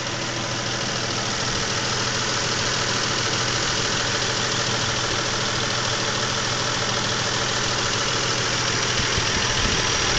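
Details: 2000 Isuzu Trooper at idle, ticking much louder after switching from Rotella T6 5W-40 to Mobil 1 15W-30, louder from underneath: fast light ticking about three per second; owner suspects crankshaft bearings, cause not pinned down.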